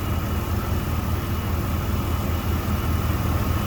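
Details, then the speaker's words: 1993 GMC Sonoma after refitting the old distributor and module in place of faulty new parts: steady, even low idle with a smooth rumble and no stumbling or cutting out; engine running healthy. "But, uh, you hear that thing running? She runs beautifully. Beautiful."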